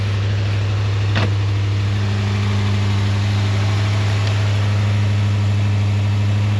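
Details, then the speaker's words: Long-unused car, after the negative terminal was fiddled with, now running: a loud, steady low drone at even pitch with no revving. The engine is noticeably loud; the cause is not clear. "so I'm thinking maybe I got it good now and maybe now it'll charge good and she's alive and she's pretty"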